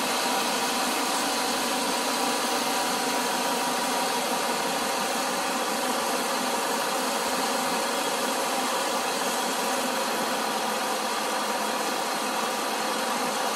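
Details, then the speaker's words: 2004 Cadillac DeVille 4.6 L V8 at start-up idle: smooth, even idle with steady hum, no rattles or clicking; normal idle. "and as you can hear no rattles no clicking it's a great car"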